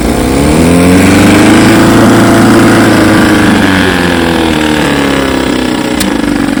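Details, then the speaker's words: 1954 Evinrude 7.5 HP outboard in a barrel test after its frozen power head was replaced; steady buzz, revs lift slightly then ease back, firing even with no misfires, running fine. "yep she runs fine all I got left to do is finish the"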